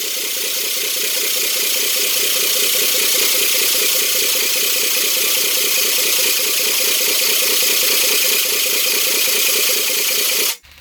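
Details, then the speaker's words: 1982 Oldsmobile 4.3 V6 diesel, sat 20 years, fuel newly bled to injectors, WD sprayed into intake, jumped batteries: fast even cranking about four beats a second, almost fires but never catches, then stops. "It's wanting to fire. Kinda, almost. Not really."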